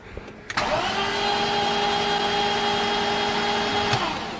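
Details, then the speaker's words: BMW E36 engine after factory head bolt installation, with the valve cover on, fresh oil, and spark plugs still out to build oil pressure: a steady, even starter whir with no knocking. It cranks cleanly and holds pressure. "so we have the valve cover on we just put oil in it and we're about ready to crank it over get some more pressure going and then we'll slam our plugs in and see if she fires up"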